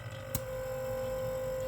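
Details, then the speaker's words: Refrigerator compressor running after repair to fix fridge not cooling: faint steady low hum, constant pitch, no clicking or labouring; current draw 0.83 A matching 0.88 A nameplate, running normally. "Nah, ini sudah jalan. Di sini sudah jalan. Di sini 0,9 0,8 sesuai dengan yang di nameplate. Di nameplate 0,880. Ini 0,83. Ini sudah berjalan normal."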